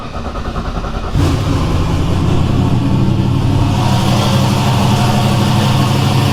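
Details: Fox-body with 363 Dart turbo V8, new build, warming up on a remote starter before hot valve lash: catches and settles into a steady, even, lumpy idle with no ticking or knocking; healthy.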